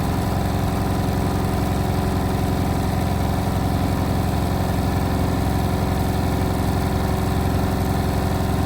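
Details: Indesit WIL143 washing machine on final spin at 1400 rpm: deep steady drum roar with a rhythmic throb near four beats a second; strange abnormal spin noise, cause unclear.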